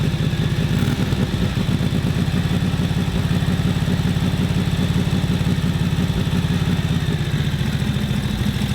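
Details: 1941 Harley-Davidson WL 45 cubic inch twin idling rough after ignition timing setup: loping, uneven idle about three beats a second that never settles; mixture and float level suspected.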